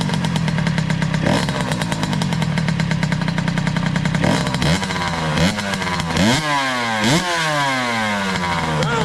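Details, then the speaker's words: 2003 Kawasaki KX60 two-stroke on 40:1 premix: steady run, then throttle blips sag and fade, bogging and dying with choke off; stalling off choke, cause suspected, not confirmed. "good well still dies with the choke yet let's see here"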